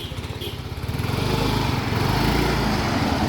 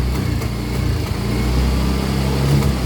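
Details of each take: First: Yamaha Mio i125 scooter after cleaning throttle body, intake manifold and air filter: settles into a steady even idle with no shaking or misfire; previously misfiring and hard to start, now fixed. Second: Yamaha Mio i125 scooter, hard starting, idling: low, uneven, shaky idle with stumbling beats; misfiring, suspected dirty throttle body, to be cleaned.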